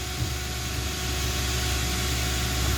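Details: 2013 Jeep Compass no-start that blew fuse 23 (feeds ignition coils); capacitor unplugged and it now runs: steady, even idle, smooth low rumble, no misses or stumbles; normal idle after repair.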